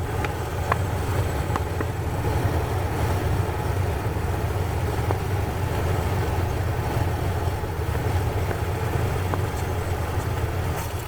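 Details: 1993 Ford Ranger petrol engine idling low and unevenly, dipping and stumbling, with fault codes stored. Water sprayed on the intake changed the idle, pointing to an intake manifold gasket vacuum leak.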